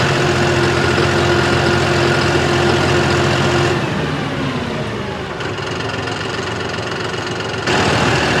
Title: Brand new John Deere Engine knock above 1500rpm 5060e with 27 hours #johndeere